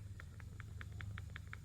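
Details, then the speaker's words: Toyota knocking over bumps; a worn ball joint from a lower control arm is rocked by hand, giving sharp metallic clicks about five a second over a low hum; the loose ball causes the knocking. "so the knocking metal knocking is caused by worn this part and that ball is loose there and it creates That Knocking I'm sure you hear it"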